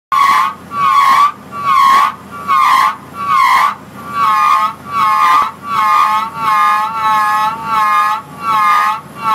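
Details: Drawworks brake: loud, tonal squeal near 1 kHz, repeating in bursts about every 0.8 seconds as the drum turns.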